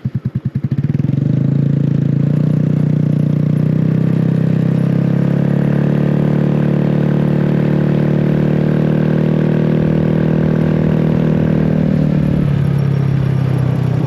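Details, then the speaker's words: GY6 150cc 157QMJ engine scooter after starter and starter clutch replacement; engine catches after a few cranks and settles to a smooth, even hum with no clatter, running much smoother. "ah perfect what's amazing is how much smoother that engine runs what a difference yeah the whole bike's a lot smoother"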